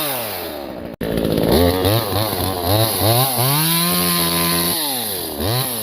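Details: New Vevor 12-inch 25.4cc top-handle gas chainsaw cutting wood: snarls and bogs slightly as chain bites, then picks back up cleanly; strong, healthy cutting under load.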